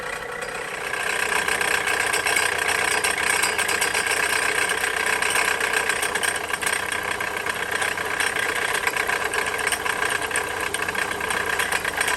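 Steady gritty whir and rasp in the upper range sits over a quiet idle, pointing to a failing alternator bearing.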